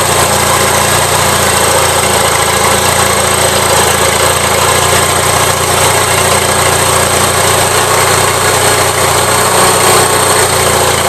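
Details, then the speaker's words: Gravely 450 with Onan twin-cylinder engine at idle, 40 psi oil pressure: steady high-pitched squeal over even idle; source unconfirmed, owner to change the Fram oil filter to see if it quiets. "definitely you guys can hear the squeal it has"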